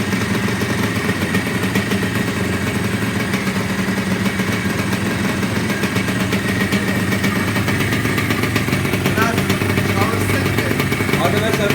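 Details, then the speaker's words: Freshly rebuilt Yamaha RXZ 135 two-stroke just started (bottom-end bearings, seals and cage replaced, cylinder bored to 59.5), no throttle given while new: steady buzzy idle, street noise behind, no knocks or rattles; clean, healthy bottom end. "yeni yapıldığı için gaz vermeyin diyor daha yeni çalıştırmış"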